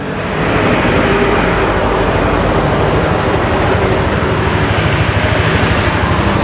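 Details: Honda Vario Techno scooter that wouldn't crank on the starter, running after its old battery (fitted around 2014) was replaced with a new one: a steady, even engine drone with no misses or knocks. It runs normally.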